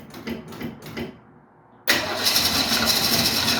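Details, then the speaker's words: 1968 Mustang start attempt: starter cranks in quick chugs for about a second, pauses, then the engine catches and runs roughly but won't keep running; owner says it's not getting any fuel from the tank. "this won't keep running just not getting any fuel from the tank so at this point"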